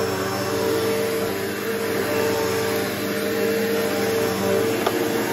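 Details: Bissell PowerForce bagless 6579-2 vacuum, year unknown, left out in rain with water draining out: steady motor drone with constant whine, no surging, rattling or scraping, good suction; runs normally.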